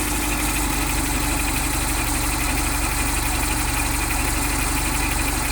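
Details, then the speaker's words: Mitsubishi Delica with the G63B 8-valve injected engine: a quick, regular tapping about three per second near the camshaft while held above idle, rising with rpm and absent at idle; persists after replacing all hydraulic lifters; cause unknown. "Причина шумов при работе двигателя G63B. Шум увеличивается при наборе оборотов. На холостых оборотах шума нет."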